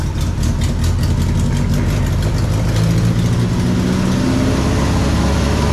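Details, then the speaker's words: 1965 Datsun 320 with excessive fuel pressure: settles into a fast, steady idle with a low rumble that doesn't drop; idle too high, owner says a fuel pressure regulator is needed to tune. "Idle's way too high. Okay, well, I need a fuel pressure regulator."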